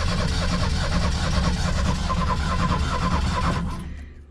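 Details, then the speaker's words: Ford Thunderbird Turbo Coupe parts car, fresh battery: about four seconds of uneven starter churning with no firing, then it winds down; cranks but won't start. Suspected ignition, timing belt or low compression, or integrated control relay. "kind of almost sounds like it might need a timing belt or something there too the compression might be off a little bit"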